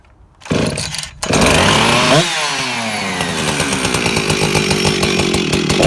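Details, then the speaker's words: Rebuilt, modified Husqvarna 357XP chainsaw with new muffler mod exhaust, not yet fully tuned, after sitting a week: pull start, catches and revs hard, climbing cleanly to a bright even scream; picks up well, healthy two-stroke. "okay guys so that is the sound of the new exhaust that sounds beautiful it picks up really well"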